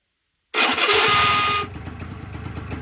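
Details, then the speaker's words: Honda Dio 100cc two-stroke scooter, first start on starter motor; about a second of loud, rough grinding cranking before it catches; owner says it cranks very badly, overrunning clutch working, will disassemble to check, cause unconfirmed. "стартер запускає ну дуже гидко обмотка дуже дуже гдко оце обгонна муфта працює не знаю ще розберу подивлюся до неї скриго"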